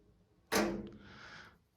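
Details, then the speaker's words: Replacing a radiator thermostatic head: once screwed fully on by hand, a sharp plastic snap then a short scraping settle as the new head clicks home and locks onto its valve. "on entend que là ça se faire c'est le claque qu'on entend la voilà"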